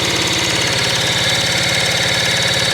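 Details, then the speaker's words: 1975 Kawasaki KE125, previously seized, freed, carburetor rebuilt, brake clean sprayed, hand-choking: fast even chuffing while cranking, moving air but no firing beats; cranks without starting. "So let's try this key on. We got nothing. Oh, we got nothing."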